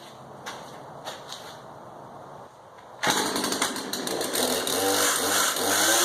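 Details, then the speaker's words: Husqvarna 240 X-Torq chainsaw being fitted with a new clutch drum assembly, damaged sprocket noted: after a quiet start it runs loud and raspy with a scratchy scraping edge; source not yet found. "something is you can hear that at scratch noise so we're going to find out what that is this part"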